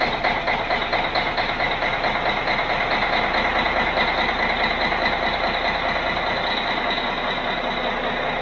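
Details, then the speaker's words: Cat 16H grader's Caterpillar 3406C diesel, abandoned about a decade, fluids refilled, first start with only fuel priming, no ether, over 80 psi oil pressure: steady, even clatter at settled idle, no knocks or misses; running healthy. "all right that sounds really good"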